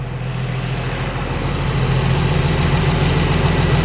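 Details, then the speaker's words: Nissan 350Z after valve cover gasket replacement, restarted: steady, even low rumble at idle with no knocking or misfiring; normal idle, with some smoking expected shortly. "So see, it turns on fine. This is how it used to turn on as well. and smoking will occur in a bit. Doesn't sound like anything's knocking, doesn't sound like anything's misfiring."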